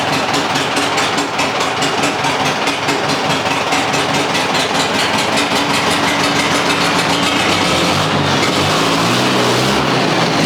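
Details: International Harvester 674 tractor diesel idling after a new clutch, pressure plate and resurfaced flywheel were installed: fires and settles into a steady, even clatter with no knocks or slipping; sounds healthy.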